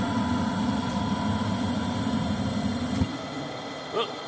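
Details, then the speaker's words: Furnace tested with panels off and door switch taped: igniter lights, click, burner roars about three seconds then abruptly shuts off leaving a low hum; short cycling, owner suspects flame sensor not sensing flame, plans steel-wool cleaning. "it just shut off."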